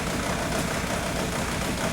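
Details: 2002 VW Beetle 1.9 TDI ALH with the slow-down shudder complaint: uneven, lumpy diesel idle clatter with occasional stumbles; the injection quantity value drops to zero at times, leaving a cylinder unfuelled and causing the misfire shudder.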